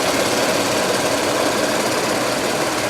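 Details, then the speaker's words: Audi A6 2.7 Bi-Turbo started after sitting two years, now warmed up: steady, even idle hum with no distinct knock or rattle; runs smoothly. Smoke from underneath, possibly a turbo, was why it was taken off the road. "yeah it doesn't sound so bad now it's warmed up now"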